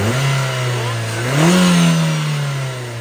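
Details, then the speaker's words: Nissan Almera petrol engine after replacing spark plugs: it idles evenly and revs smoothly with no stumble or popping. The earlier misfire and rough running are gone. "so ayan ah Wala ng purot pururot matuli na yung RPM Sige RPM so napaka-basic lang kita niyo naman nawala yung kogkog na kahimtang"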